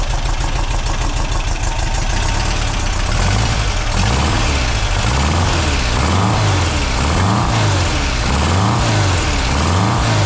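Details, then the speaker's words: Refreshed 2-litre VW flat-four on a test rig, first start, cold, with Vintage Speed exhaust: fairly even fast idle, slightly lumpy low beat, clean with no knocks or misses; the exhaust runs very quiet. "this vintage speed exhaust system is very very good they're not the cheapest but very very quiet"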